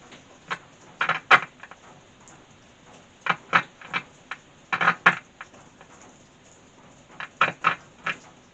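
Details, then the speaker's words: E.A.R. Mascot tape recorder (Perdio-era), worked on without a circuit diagram: irregular bursts of sharp crackling clicks over quiet background during playback; crackle persists, cause not pinned down. "first of all the crackle is still on there"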